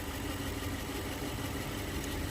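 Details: 2012 Toyota Tundra with a no-start blamed on the fuel pump ECU (LS430 cut relay also named); steady, even idle with a low smooth rumble, no knocks or misses, now running cleanly.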